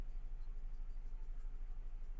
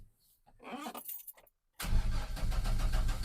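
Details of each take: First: 2000 GMC 1500 parked 4 years with rodent-chewed wiring, fuel injection cleaner added: low, uneven idle with steady stumble, one cylinder missing, 40 psi oil pressure and charging; traced to a loose spark plug wire. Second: 2000 GMC 1500 parked 4 years, after repairing rodent-chewed wires (yellow and purple extended/repaired): quiet, then starter catches and engine fires straight into a steady, even idle; cranking and starting normally.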